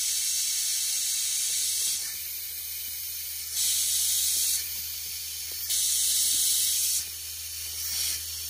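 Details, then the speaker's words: BMW N20 2.0T turbo engine under boost leak tester, compressor pressurizing intake: sharp air hiss comes and goes in bursts about every second and a half as the charge pipe is moved; failing charge pipe O-ring suspected. "there's an o-ring in here I think the O-ring is failing okay so now I'm pretty sure you can hear that there's an o-ring on the charge pipe if I move it you can hear that right"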